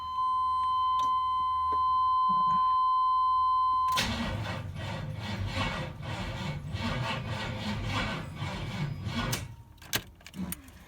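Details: Dually truck being started after a new distributor cap and rotor, plug wires on and timing checked not 180° out, with a booster pack attached: a steady high beep, then fast beeping about four per second. Jump starter warning beep.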